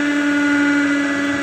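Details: Samsung manual microwave, model M171N, reported as noisy: a loud, steady low hum with a buzzy edge drones while running, with what sounds like a shorting/arcing noise.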